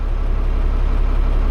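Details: Leyland DAF T244 truck diesel idling after two to three minutes while air tanks charge: deep, steady idle with even low throb, no knocks or misses.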